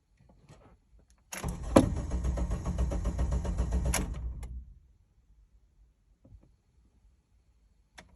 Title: 2008 Honda Civic ex-l crank no start